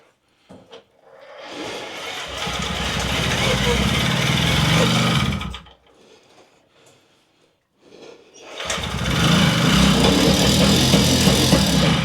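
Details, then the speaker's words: Puch Maxi two-stroke moped that had been a non-runner. Two short, buzzy bursts, each running a few seconds then dying away: it fires but won't keep running. "okay maybe not it would have been nice to just get on it and it go but I don't think that's going to happen"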